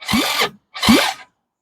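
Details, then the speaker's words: 2006 Zhejiang Kangdi 250cc kart engine after teardown and reassembly, first spin-over: two short bursts of the starter turning it with an even, firm whir; healthy compression. "all right we're doing this Ranch I said it does oh we got compression"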